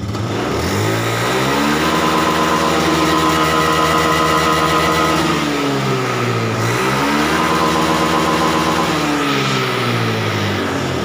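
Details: Honda Scoopy eSP K93 fuel-injected scooter that stuttered at full throttle, after sensor voltage adjustment and resync to about 0.546 V. Engine climbs cleanly to full throttle, holds, drops back and climbs again with no stutter; smooth pull.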